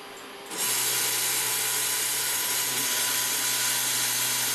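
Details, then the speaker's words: Stepper motor on a converted Epson LQ2070 dot matrix printer (vinyl cutter), x-axis at 1000 steps per second: steady hard buzz with rasping, strained, uneven tone; motor straining at high step rate. "can hear a different pitch to the motor it's not very happy"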